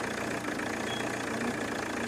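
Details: Chevrolet Cruze diesel idling: uneven, wavering chug with faint knock, rpm going up and down and rail pressure varying widely, voltage incorrect.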